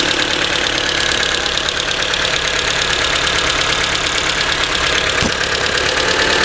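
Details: Sharp fast tick, about three a second, from the cylinder head over steady idle after valves were adjusted twice and rocker assembly removed; valvetrain-type clatter, cause unknown.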